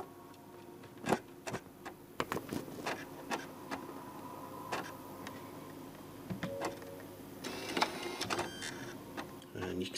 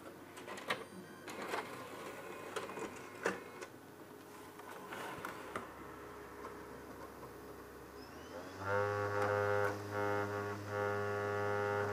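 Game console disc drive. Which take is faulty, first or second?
first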